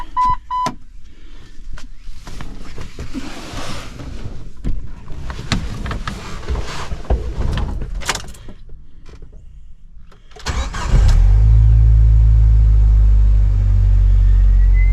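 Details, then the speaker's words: Jeep Wrangler with hard-start issues and code P0320, after replacing the MAP sensor: starter cranks briefly, engine catches cleanly and settles into a steady, deep idle; normal start, though the MAP sensor later proved not to be the fix. "Started just like it was supposed to. All right, it fired off and started just like it's supposed to."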